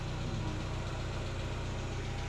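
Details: Chevrolet Aveo that would not start, running after repair, scanned with no error codes: low even idle with steady firing pulses, no knocks, stumbles or surging; normal idle.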